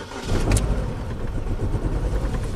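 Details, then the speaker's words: 2010 Chevy Cobalt 2.2 after interior wiring harness fire, ECM and BCM replaced, feathers found, high MAP reading: uneven lumpy idle with irregular stumbles; misfire possibly due to limp mode, crankshaft position not learned. Cause suspected. "seems better. Definitely not happy. Now you hear that misfire, that could be because it's in limp mode."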